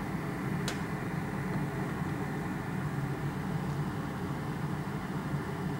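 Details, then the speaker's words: Honda Element with AC blowing warm at stops, under-hood relay check; condenser fan running with a steady, even whooshing hum, no rattle, scrape or pitch wobble, stopping when its relay is pulled, normal fan operation. "este es el relé del ventilador del condensador observe cómo se detiene el ventilador del condensador mientras quito el relé"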